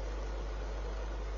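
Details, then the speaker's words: Repaired fan heater, with electrical tape on the spindle, running in fan heater mode: a steady airy hiss and low hum with no rattles; it runs normally. "that is in fan heater mode where it will start heating up"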